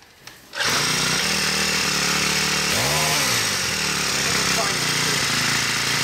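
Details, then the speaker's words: Poulan Pro PP428S two-stroke string trimmer, new, after richening the carburettor, which was too lean from the factory and died on throttle: steady high-pitched buzz with one brief dip, then runs strong and even. "right weedwacker runs good pretty powerfully yeah"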